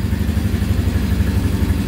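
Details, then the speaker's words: 2010 Polaris Outlaw 90cc ATV after a carb clean and new fuel line, first start: starts right up into a steady, even low putter with a smooth regular beat, no knocks or misses; smoking a little, sounds pretty good. "That sounds pretty good."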